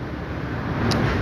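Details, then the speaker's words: General 5-ton R410A AC with a newly fitted compressor, drawing low amps: a smooth, steady low hum with even fan rush and no knocks or rattles. Normal compressor running. "তবে আমাদের এম্পিয়ারটা খুব সুন্দর নিচ্ছে, আমার দেখা মতে অন্যান্য কম্প্রেসারের তুলনায় খুব ভালো একটা এম্পিয়ার নিচ্ছে।"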